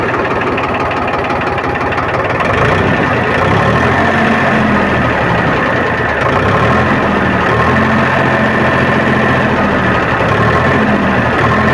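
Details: Powertrac tractor diesel restarted after fuel pump drop timing set, exhaust smoke being shown at silencer: loud steady clatter settling to even idle, no misses or hunting; normal idle.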